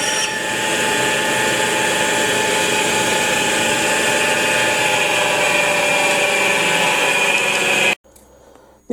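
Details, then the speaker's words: Truck flywheel resurfacing on a flywheel grinder with rotary table: steady high-pitched grinding hiss, constant motor hum, little cutting bite, almost nothing removed, wheel edges crumbling; grinding wheel loaded and needs dressing. "а от сам Круг забився і з Круга вже начало бачите так краї відлітати ну це означало що потрібно було раніше його взяти і прошарошти по суті нічого не зняли а камінь потрібно знову шарошити"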